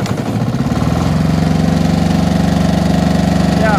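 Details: Machine engine started after a starter motor rebuild, with the oil warning lamp going out once it runs: catches and settles into a steady, even low thrum with no misses or knocks; normal running.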